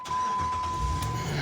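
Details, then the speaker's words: 2005 Dodge Ram 1500 5.7L Magnum V8 after squirrel-chewed wiring repair and spark plug replacement: catches at once and settles into smooth, even low rumble over a warning chime, previously running rough; normal start. "Looks perfect. Beautiful. Hasn't sounded like that in a while, I'm sure."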